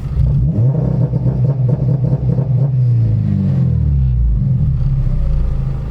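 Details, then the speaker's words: Modified car, launch control limiter retuned to be less harsh: deep exhaust roar rises, then sits at a steady held pitch without choppy on-off bouncing; soft limiter holds rpm as intended. "That's kind of what I was going for, is that where it just kind of holds it at the RPMs."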